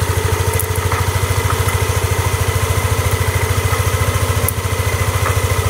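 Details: Yamaha Vixion motorcycle, previously not idling and dying off throttle, after 12 stored fault codes were cleared; steady even thump at about 3.5 beats a second holding smoothly with no hunting or dying, healthy idle.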